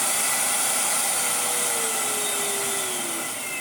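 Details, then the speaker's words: Karcher VC3600 commercial cylinder vacuum cleaner, previously choked by a dirty filter, switched on: steady high airy rush from the vacuum motor, even pitch with slight settling dip, no rattle or surging; good suction, motor healthy. "And they work! Oh, there's such good suction. Wow!"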